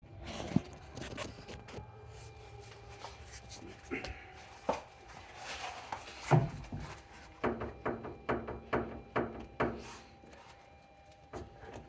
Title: Xterra passenger side clunking noise